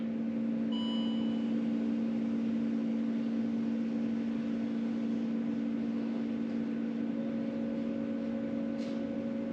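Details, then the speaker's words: 2.7L TDV6 diesel Land Rover Discovery 3, ignition on without starting after fuel filter replacement: steady even electric hum about ten seconds then stops; normal fuel pump priming. "<b>So I can definitely hear it moving some.</b> <b>Still making sound.</b> <b>Stopped.</b>"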